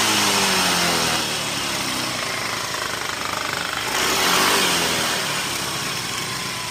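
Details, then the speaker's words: Yamaha Mio (M3/Soul GT/X-Ride 125) at 44,000 km after CVT service with rollers cleaned and reused: steady buzzy drone swelling evenly with revs, smooth with no grinding, rattle or judder. "dan untuk ini udah selesai diservis dan tidak teman-teman dengar suaranya cukup halus ya semuanya"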